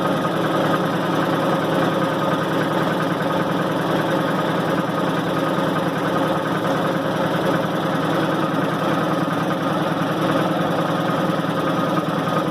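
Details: 1990 Maytag LA211 washer on spin: steady droning groan with a faint whine and no clear knock. Belts, brake and the brake bearing have already been replaced; source still unidentified.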